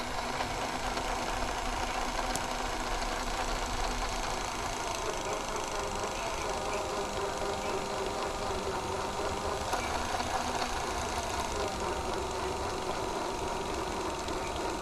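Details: Hi8/digital camcorder tape with sticky tape syndrome and mold, after cleaning and freeing the stuck tape: steady, even whirr while fast-winding, no catching, grabbing or squeal; the tape now spools freely.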